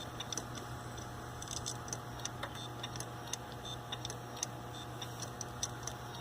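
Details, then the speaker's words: Failing Hitachi hard drive in a Linux mdraid RAID1 array, recorded while its replacement drive was being installed: irregular sharp ticks several times a second over a steady low hum, heads struggling; clicking failing drive, later failed out of the array. "This is that Hitachi drive from my video that was failing. I'm filming this on a late night as I actually put my new drive in. Oh God. Listen to that. Yeah, I think we got a problem here."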